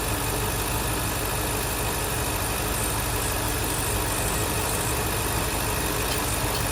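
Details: 2023 Ford Super Duty F350 7.3 Godzilla V8 after replacing the loose upper idler pulley: steady, even idle hum with smooth belt-drive whir, no knocking or squealing; normal idle.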